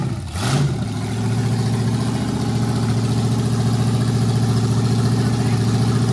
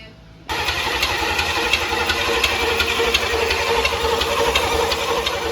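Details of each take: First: Never-run 350 small-block Chevy V8, built 25 years ago by Crankshaft and Valve in Waco and stored in a barn: quick crank, catches and settles into a steady, even low rumble; normal start and idle. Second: Never-run 350 small-block Chevy V8, built 25 years ago and stored in a barn, first start attempt: the starter spins it in an even churn about three beats a second and it never fires; the fuel pump failed and is being swapped for an electric pump.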